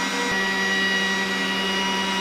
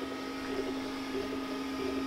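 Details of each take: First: Stock exhaust fan on a Glowforge Basic laser engraver, recorded with a shotgun mic at startup and during a cut, before an inline-fan upgrade: steady loud roar with fixed hum and high whistle; loud, worse with build-up. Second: Glowforge Basic laser engraver after the upgrade to a larger inline exhaust fan at half speed, same mic position: soft steady low hum, faint higher tone, light mechanical shuffling. Normal quiet operation, replacing the previous loud, angry-beehive stock fan sound.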